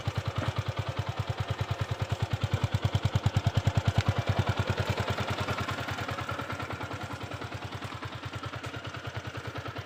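Single-cylinder thump at a steady three beats a second, even and clean as it settles; bike starts and runs normally.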